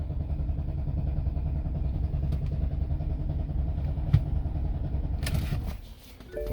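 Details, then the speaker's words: 2007 BMW X5 4.8 V8 with fault code 2F44 (EWS preventing manipulation): steady starter cranking about 3.5 pulses a second for five seconds, never fires; crank no start. "it doesn't want to start i'll do it again"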